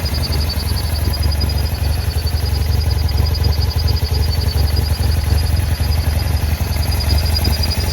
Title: BMW F800GS (2009) very rough idle, vacuum hoses damaged